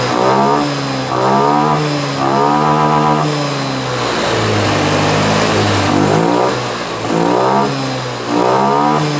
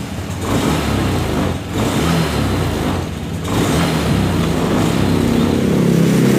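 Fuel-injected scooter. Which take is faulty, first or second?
second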